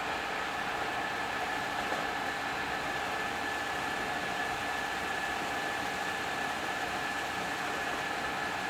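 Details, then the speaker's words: First test run of the newly built machine Pearl, gearbox driven under power through a temporary clutch/brake lever, at top speed (reading about 1794): steady, even whir with a constant high tone and no knocking or gear rattle; no noisy gear, normal running. "okay here's what we've been waiting for top in what's top end going to [Applause] be boys that sound good don't it"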